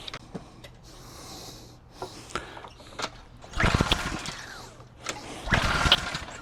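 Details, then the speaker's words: Craftsman 2800 PSI pressure washer, Briggs & Stratton 163cc, barely used then stored, starter fluid sprayed: irregular pull-cord bursts, cranking rattles, never catches; no-start, on/off switch found likely off. "That is not great at all."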